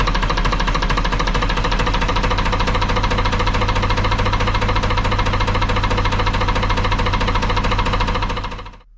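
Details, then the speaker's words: Lister HW3 three-cylinder diesel narrowboat engine, freshly serviced with tappet clearances just set, run on a little throttle with the valve and rocker gear exposed; steady lively beat with sharp, even tappet clatter over a low thump. Normal running. "turned it off again a bit noisy that wouldn't it but yeah you get to see the valve gear and the rocker gear working away there yes nice to see but it's all good"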